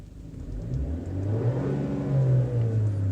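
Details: 2013 Chevy Cruze that won't exceed about 30 mph, at full throttle: revs climb with no turbo whistle or spool-up, boost reading zero; earlier whining noise from engine; turbocharger failed, no boost.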